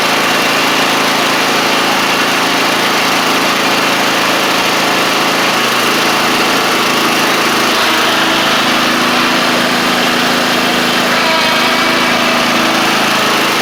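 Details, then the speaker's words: Troy-Bilt TB42 lawn tractor, Powermore 541cc engine, after fitting a new carburetor of the original type: smooth, steady drone at constant speed with no surging, misses or knocking; now running well. "So, it's running good now."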